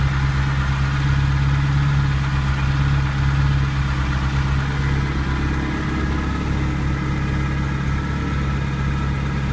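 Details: Smooth, even V8 idle with a light rev blip on a Ferrari 308 QV after replacing crumbled camshaft pulleys with aluminium ones and dialing the cams; top-end ticking, thought due to an incorrectly set belt, is gone.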